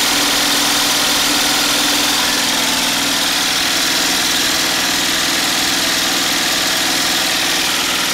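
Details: Homemade 12V DC gasoline generator charger under full load (about 2000 W of heater dummy loads), alternator outputting around 80 A continuously without getting too hot; steady buzz with busy hiss, constant speed, no hunting. Normal running under full load.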